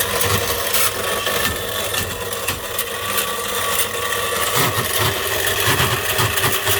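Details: Sewing machine motor run on 400 V screams at high speed with harsh scraping and grinding throughout, as its bearing breaks up mechanically before the motor finally dies.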